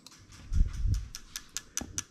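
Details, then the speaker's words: JZ modular harness with ECUMaster Classic ECU for a 1JZ-GT-swapped IS200, ECU output test of the injectors one by one. Sharp, evenly spaced clicks about five a second after a brief thump: the injector pulses normally. "so we're going to start on the injector i'm going to hit test you can hear the injector clicking away"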